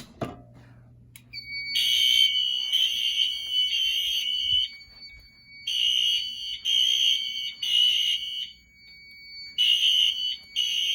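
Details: Home fire alarm test with an SK2 panel (broken resistor, no batteries). The Firelight BG12 pull station is operated and loud, shrill horn blasts sound in repeating bursts with short gaps. The general alarm sounds normally.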